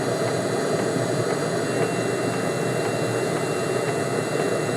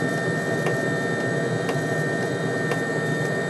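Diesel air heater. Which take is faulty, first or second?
second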